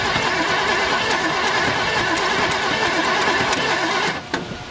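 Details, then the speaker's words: 1972 Chevelle Malibu, original small block with automatic transmission, sitting 15 years; distributor moved, starter fluid sprayed. Starter turns the engine about three times a second but it never catches; no spark, owner suspects the points. "doesn't sound like anything's happening so I may need a uh new points"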